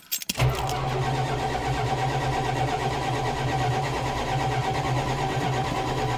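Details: 1987 Chrysler Fifth Avenue, sat about six months, January cold start with choke and a couple of pedal pumps: quick crank, catches at once, settles into steady even low rumble, no misses or knocks; healthy start.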